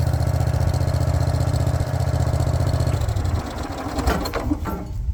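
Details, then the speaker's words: Wacker RD880 roller compactor, sat about 10 years, after revival: regular low putter of about four beats a second, steady under light load, then easing off; runs well, though its pivot does not work. "so we have found one more problem with the compactor but it's running actually pretty good which is cool"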